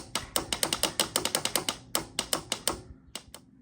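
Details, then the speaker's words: 1993 Honda Helix CN250 scooter found in sand dune, loose air box: sharp dry clicks four or five a second, no cranking; starter relay chattering against seized engine, possibly overheated bottom end. "The cover was loose. Air cleaner and everything, the box was just loose in here already. And of course, we're chunkered. We're stuck. So this engine is no bueno."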